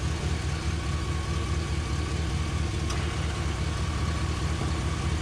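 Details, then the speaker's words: 1978 Pontiac Trans Am 4-speed, first start in years, timing backed off, carburetor primed with gasoline, vacuum lines unchecked: steady low V8 rumble with even settled beat, no knocks or misses; idles smoothly, sounds healthy. "well i'd have to say that's uh that seems to be a good motor um there is nothing crazy going on"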